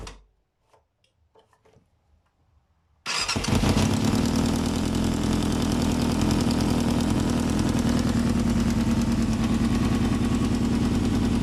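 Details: 1995 Yamaha FZR 600R idling with a fast, light ticking over the exhaust; owner suspects timing chain or tensioner, unconfirmed.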